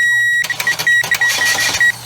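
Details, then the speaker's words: 2008 Chevy Cobalt with a no-crank, no-start fault after a starter replacement; 12 V fed to the crank relay pin with a relay tool: starter spins the engine in quick chugging bursts under a beep; starter works, not the fault. "so we know the starter kicks over so we're good there we know it's not a starter issue here"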